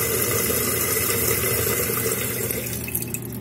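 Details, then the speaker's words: Running toilet: water rushes steadily into the tank, then tapers off and goes quiet when the flush valve flapper is let go and seals; chain should have a thumb's width of play; fill stops properly. "Let go, it stops. So just make sure that flap is sealed."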